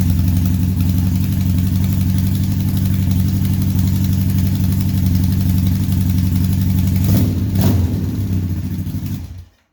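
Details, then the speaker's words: 1978 Honda Hawk cafe racer build with automatic transmission, steady idle after exhaust fabrication; faint uneven puffing tick about four per second on a good-toned exhaust note. Small exhaust leak at the header, later found to be the header seated off-centre in the head. "Well, other than a small amount of exhaust leaking here, I don't think I have this tight all the way. It actually has a good tone."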